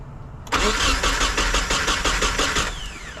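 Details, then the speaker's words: Nissan 240SX with freshly swapped replacement KA24DE, started fine earlier, now being started to reach operating temperature; starter churns about three beats a second for two seconds, no firing, crank no start; crew suspects something was disconnected. "What the fuck? It just started earlier."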